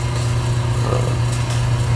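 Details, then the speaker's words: 1974 AO Smith 160,000 BTU copper boiler, first startup of the season after earlier thermocouple, inlet regulator and relief valve replacement; steady deep hum with even burner roar after initial flare-up, no rattles: normal burner and circulator pump running. "right so it is now running sounds good i would have liked to get a view of that event down at the bottom when it first starts up because it's a pretty big flare-up at first"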